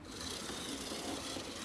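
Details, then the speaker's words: 1980s Bachmann pancake-motor model locomotive on track after gear and truck repair: thin, even motor whir with a faint light tick riding over it, steady running; runs fine and quiet overall. "that's exactly what I hoped for like quiet the listening will go tick tick tick tick tick tick tick tick that's for sure"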